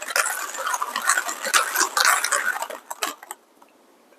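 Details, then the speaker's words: Kingrinder K4 manual hand coffee grinder grinding about 15 grams of beans at normal hand speed, taking about 23 seconds: irregular dry crunching and crackling, then quiet; normal grinding. "i'm just grinding at normal speed i'm not gonna speed up this is about 10 about 15 grams of coffee"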